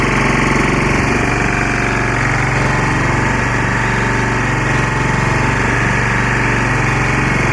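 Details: Lombardini 6LD260 air-cooled single-cylinder diesel powering a construction traffic sign, cold start after sitting unused 10 years, old diesel purged, fresh fuel from remote tank; steady even chug about 200 beats/min, no misses, smoking a little; normal diesel idle.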